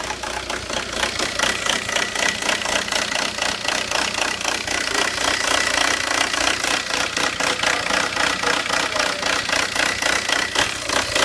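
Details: 2002 VW Jetta TDI diesel with code 17970 (quantity injection N146 upper limit reached): rough idle with a loud, uneven clatter, knocking about three to four times a second and not quite steady.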